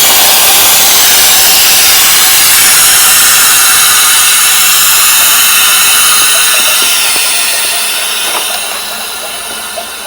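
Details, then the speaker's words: Newly replaced electric water heater being filled with water: loud, steady high hiss of air escaping through the relief valve that slowly eases off near the end, as the air purges out of the line before water flows. "Watch you hear air from this relief"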